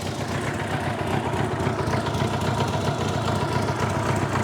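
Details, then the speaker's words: Old Honda Gold Wing flat-four idling with an even low burble and no knocks, ticks or stumbles, fuel turned off to stop carb leakage. It sounds good; the starting fault is possibly the start switch. "Not dead, but two poorly gold [Applause] rings. Well, it sounds good though."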